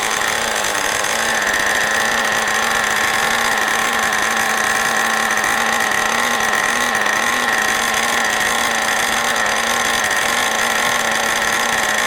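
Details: New OS 40 FSR model engine, second tank of break-in: steady piercing high-pitched scream holding one pitch, revving higher than wanted; high and low speed needle mixture still needs adjusting.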